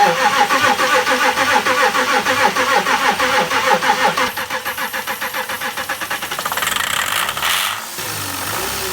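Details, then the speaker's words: Diesel car that would not start, the day after working on the injectors (blocking each injector in turn to find a faulty one): starter cranks at about three pulses a second, then it catches without hesitation into a rough but running idle. "The car started up with no hesitation"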